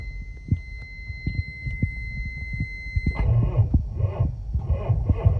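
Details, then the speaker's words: Truck with 12-volt batteries, cold-started after sitting 10 hours overnight at around 10 degrees in Montreal: a hum, then the starter drags the engine over in slow, heavy, uneven turns. Weak batteries are suspected of causing the hard start. "wow it was not easy start it's it's a really hard start so because something is wrong somewhere you know so like maybe the batteries need to replace"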